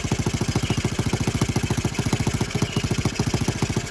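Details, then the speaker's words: Honda Z50R after restoration and valve adjustment, muffler fitted, first kick start: small single idles with steady slightly uneven beat around 140 a minute and faint puffing tick; cylinder head cover leaking because bolts were only finger-tightened. "when we did the valves and i put the cylinder head cover back on i just finger tighten them i forgot to completely tighten them up"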